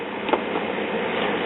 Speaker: ah so that's what happened one of my cartridge connectors came loose okay that's better